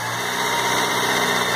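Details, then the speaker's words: 2004 Chevrolet Celta 1.0 petrol with irregular, faltering idle and 12 stored fault codes: after a grounding fault was corrected, the idle is smooth and even with no hunting; normal steady idle. "estabilizou a falta de aterramento a pena zero hora a marcha lenta redonda ok ok ok ok"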